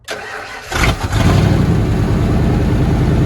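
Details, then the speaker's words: 1997 Ford F-250 sitting for years, started in cold weather after fuel work with lines reconnected; short crank, then catches cleanly into a steady, even low rumble with no misses or knocks: normal start and idle. "There she is. Not bad, honestly. Not bad at all."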